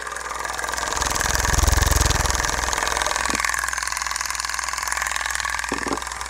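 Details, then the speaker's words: CTI Cryogenics cryo engine assembly, likely from a split Stirling-cycle cryocooler, run on about 18 volts without helium: steady motor hum with regular light clicking and sharper snaps, shaking, sound conducted through table; clicking source unknown. "so it sounds like there some sort of like a clicking going on in this [Applause] thing"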